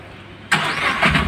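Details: Tata Ace Gold BS6 diesel with a starting complaint, starting during the earthing check: silence, then the starter catches and the engine fires at once into a steady rising run; starts cleanly, though a weak earth connection was then found.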